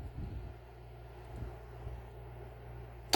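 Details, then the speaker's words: 1971 Cadillac Eldorado power door lock actuator solenoid, bench-tested after full disassembly and internal solenoid replacement, cycling extension and contraction: quiet hum then a sharp, crisp, strong snap; lock solenoid throws firmly, normal. "Now we're going to test the power door lock actuating solenoid, which has been completely disassembled and the solenoid changed out internally, and we'll go ahead and listen for that very strong snap."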